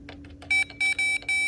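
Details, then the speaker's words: 1966-70 Mopar Chrysler B-body gauge diagnostics: the tester gives clear steady beeps when touched to a removed bulb socket used as ground, showing continuity and a good ground. "So that's ground, so that's showing continuity. So that's just telling us that our ground is good."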